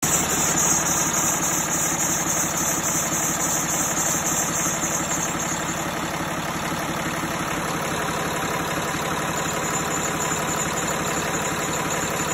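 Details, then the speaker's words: Mercedes engine at idle with a noise from the front: steady chattering chirp, about three or four a second, from the belt drive. It goes away when the belt is sprayed with water, so not a bearing or tensioner. Worn serpentine belt, to be replaced. "So ang sira niya talaga ay belt kasi habang sprayan mo siya nawawala yung ingay ng ating makina sa harapan."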